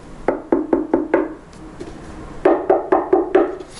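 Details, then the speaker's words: Klipsch RP-600M bookshelf speaker, knuckle raps on the unmodified side panel ring hollow and boomy; the cabinet panel resonates, buzzing, rattling and coloring bass into the lower vocals, unlike the treated cabinet. "Well, this is noisy. This is going to buzz and rattle and really color the bass response, even up into the lower vocals."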